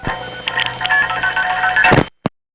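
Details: 1976-1981 recording of a register sender in the New York City to New Jersey Gateway tandem office: quick bursts of pitched MF tones over clattering relay clangs for about two seconds; normal outpulsing.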